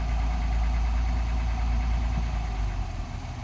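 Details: 2021 Honda Passport, brand-new engine idling: a light, fairly regular knock about four times a second over the low rumble, heard at idle and low rpm. Engine knock.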